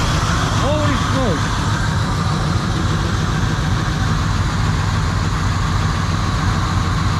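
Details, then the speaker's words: 1970 Chevrolet Monte Carlo V8 after long storage, first run on fuel poured down the carburetor: loud, uneven idle with a raspy chuffing under the exhaust note and birds in the background; audible exhaust leaks. "I can hear exhaust leaks she pumped out a whole lot of junk out of the gosh but it runs"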